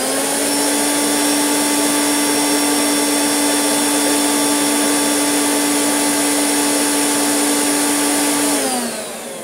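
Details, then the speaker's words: Hoover Turbopower UB088 upright vacuum, new in box but making a funny noise since new, after reseating a loose factory spade connector: on speed 1 a smooth, steady motor hum without flutter, then an even spin-down. Motor fine. "Nothing wrong with that in speed 1. I'll change it to speed 2. Absolutely fine."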